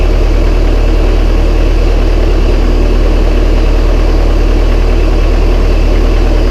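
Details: Massey Ferguson 135 tractor, first start after oil and filter change and valve adjustment, high-low in neutral; steady even low idle about three beats a second, no knocks or misses; starts straight up, running healthy.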